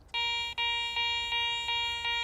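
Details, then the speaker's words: Garrett ACE 400 metal detector, 10 kHz, mode with nothing discriminated: clear high steady beep each sweep over a bottle cap, giving a false good-target high tone. "that bottle cup sounds pretty good reading high tone probably something I would dig"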